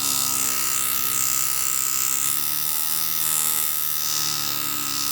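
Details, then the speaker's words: Samsung fan motor on bench test, speed control signal measured 5 V, too high, with voltage peaks: high steady whine near 1.3 kHz with surging edges; fan overspeeding from faulty control voltage. "quindi ho 5 volt che sono troppi e per questo il ventilatore gira molto veloce e non va bene."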